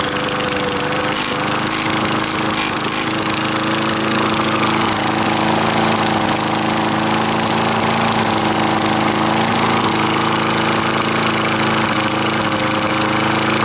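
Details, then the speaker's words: 1980s Craftsman Eager-1 lawn mower with an upside-down, off-centre blade, running after a one-pull start: a rough rattling clatter over a steady drone as the blade strikes the sides of the cracked, flexing deck. "it flexes enough to have the blade actually hit on the sides and I'll demonstrate that when I fire it up"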